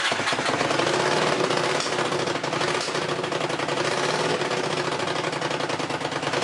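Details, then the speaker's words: Honda CX500 twin with exhaust leaks and possibly fouled plugs, started on choke: uneven, lumpy idle with a ragged pulse and exhaust chatter. It won't run with the choke off. "It does not want to run with the choke off. All right. So, it will run."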